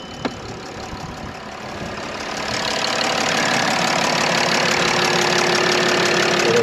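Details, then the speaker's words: Mercedes E320 CDI diesel at 136,000 miles: idle with a steady, fairly even puffing chuff three or four times a second, air blowing out; injector seal leak (black death). "I'm gonna go ahead and fire this car up just so you can hear what this sound sounds like when you have the Black Death"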